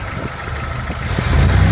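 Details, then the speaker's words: Jeep YJ 2.5L engine at idle while still cool: light quick ticking over steady low rumble; owner suspects flat or worn lifters, comes and goes and usually disappears once warm. "Sound of flat lifters or worn out lifters. It comes and goes. Usually once the engine warms up, you don't hear it at all."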